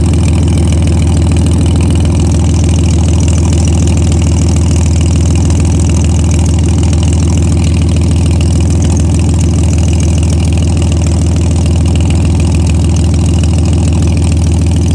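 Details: Car engine idling with a fast, rough puffing tick in time with the firing; suspected exhaust leak, not confirmed.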